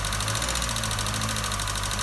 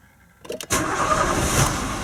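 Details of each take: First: Nissan Note/Tiida 1.4 CR14DE petrol engine running with a fast, even metallic ticking over its hum: valve tappet knock from exhaust valve clearances too large, fixed by fitting thicker tappets. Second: Толкатели поменены, в данном случае 4 штуки. И вот можно теперь послушать, как будет работать двигатель.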